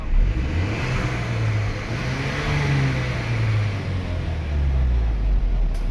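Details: Mercedes GLA W156 after its leaking fuel tank was cleaned and refitted and codes were cleared: the engine revs up and settles smoothly with a clean, even note and no stumble or misfire during the leak check; healthy.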